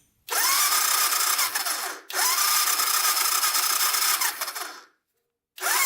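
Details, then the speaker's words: Honda ATC250SX three-wheeler cranking without the brake held. The starter whirs in two-second bursts with a high-pitched spin and never fires; compression is felt at the plug hole but there is no spark yet: cranks but won't start. "not getting anything it almost sounds like the engine's not spinning over but holding my finger over the spark plug hole you can feel it feel it pump over here all right so no spark yet"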